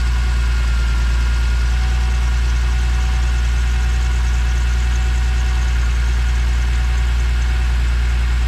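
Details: Normal smooth, even low idle with a steady rumble and no knocks or odd noises on an E46 BMW M3 at first start after an airbox failure, with a redesigned CSL airbox fitted but unclamped; the engine sounds healthy.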